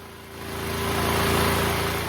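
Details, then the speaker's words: Neglected DuroMax XP12000EH dual-fuel 12,000 W portable generator, pull-started (electric start solenoid issue) after repair: steady, even engine drone with a constant low hum and no misses or knocks; running smoothly, no load. "So the generator is up and running, but now let's check if it's producing the right voltage."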